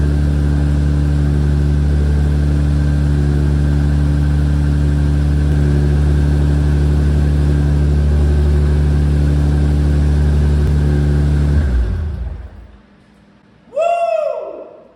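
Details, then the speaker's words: Supra with big turbo, ECU Master Black Series running a base map, first start after build: deep, steady idle, even beat with no stumble, knock or tick; engine timing and cams correctly installed, small oil leak at oil cooler sandwich plate. "so far it runs the idles that means that we timed everything right on the engine the cams were properly installed"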